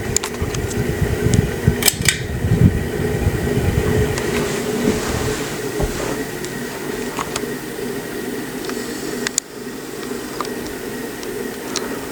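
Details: Harbor Breeze Marco Island 52-inch ceiling fan, antique brass: steady mid-pitched hum over the fan's whoosh, constant while running; noisy motor, still usable, cause not pinned down.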